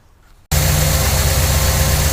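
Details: 1968 Chevrolet Impala V8 after dual exhaust install and valve adjustment for noisy lifters: deep, steady idle with even low rumble, no ticking or misses; running smoothly.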